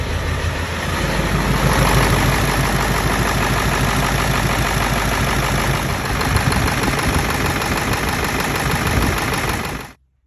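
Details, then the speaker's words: 7.3 Powerstroke diesel truck started completely cold with no block heater after shimming all injectors (most were under 2 thousandths): catches and settles into an even clatter with no stumbling or misfire; cold-start problem fixed, normal cold idle. "Completely cold, no plug. Amazing if this thing starts up. Oh my God. Well, that's insane."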